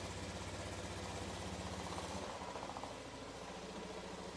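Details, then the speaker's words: Honda Scoopy scooter, six years old with 40,000 km, idling after electric start: quick, steady putter around four pulses a second with noticeable buzzy vibration; normal idle. "Kita coba starternya. masih enak. Getarannya lumayan terasa ya. Ini getarannya."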